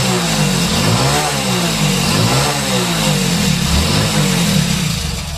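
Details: Motorcycle with accelerator cable lacking free play: engine holds a raised, slightly wandering idle with no throttle and won't settle; the stuck cable holds it open, and once freed the bike no longer races by itself.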